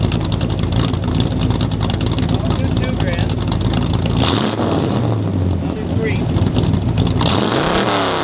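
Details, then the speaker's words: 1966 Chevrolet Impala V8 with 24-inch glasspack mufflers, revved toward its 4,000 rpm redline; loud raspy blatty crackling exhaust; glasspacks over the axle leak badly, exhaust leak. "Yeah, you can see them ripping it up because they're over axle and they leak really bad. They make terrible obnoxious noise."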